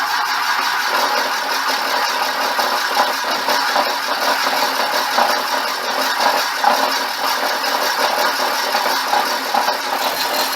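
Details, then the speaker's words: Boring the cracked, brazed cylinder of a '59 Flathead engine on a worn tool tip: harsh cutting hiss with a fast rattly judder; boring bar chatter, stopped to change the tip. "okay it's juddering so i'm gonna stop it"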